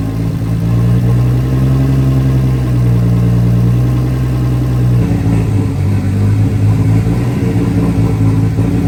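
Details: Nissan R32 RB20 straight-six, first start in 3 years, open downpipe with no exhaust: loud, steady low rumble with even firing and no knocks or misses; engine sounds healthy despite earlier concern, normal idle.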